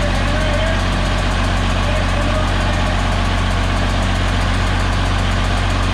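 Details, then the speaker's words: DT360 diesel with newly installed P7100 pump: steady, somewhat high idle with faint rhythmic puffing chuff over the knock; air felt at rear, number 5 injector not seated, soot on crush washer showed it leaking compression. "I'm feeling air back there, but I don't know where it's coming from necessarily. Like it's not. Unless that injector didn't seat properly."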